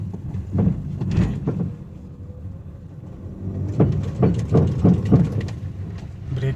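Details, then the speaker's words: Honda Amaze before repair, short bursts of dull clunks in quiet cabin while braking on road; suspension noise, in bad condition. "हैं इसके निलंबन में आवाज आ रही है। यानी, यह काफी जर्जर और बहुत बुरा"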